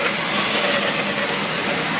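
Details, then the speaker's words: Chevy Astro van with a low brake pedal, the brake light on and dragging when coasting; in drive a harsh, steady metallic scraping with no knock comes from one wheel, which is stuck and held from rolling. "So you can hear something grinding. Coming from this wheel."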